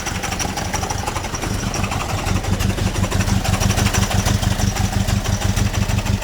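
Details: 1928 Durant engine just reinstalled and crank-started after repair, clutch not yet tightened: slow, even low putter with steady firing pulses, no knocks or misses; engine running normally.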